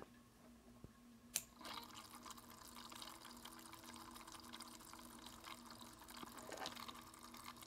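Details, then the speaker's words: Cooler Master MasterLiquid ML240R AIO pump, powered from a bench supply with the microphone placed on the pump: continuous soft watery gurgling and bubbling over a quiet pump hum. Typical of air trapped in the loop. "I complained about the gurgling that this pump makes that drives me absolutely crazy"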